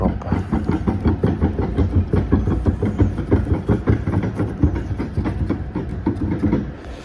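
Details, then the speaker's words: Walcker pipe organ in a Lutheran church, Kazan, under inspection: mechanical tracker action clattering like a set of wooden pieces, rapid knocks about three a second, far too loud; rocker arms hitting, first manual has much sag and play. "Actually, the struts are the main reason I came here. Because, ah, the tractura sounds louder than... Do you hear that? Yeah, just some kind of set of wooden pieces."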